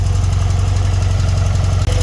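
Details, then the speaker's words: BMW R100RS twin during carb sync: steady, fast even beat held at about 1500 RPM instead of idle because the throttle cable was trapped in the fairing in front of the forks, applying throttle; sticky throttle issue. "Yeah, what was going wrong there, as I was trying to adjust idle speed, was that I was unaware that the throttle cable was trapped in the fairing just in front of the forks, and it had actually been applying a little bit of throttle, so enough to pull it up to 1500 RPM."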